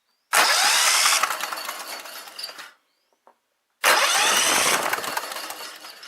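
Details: Sears Craftsman lawn tractor with Kohler Commander engine, previously no spark, after reconnecting the red wire to the spark module: two harsh bursts as the engine catches on cranking; fuel pump filter was dirty.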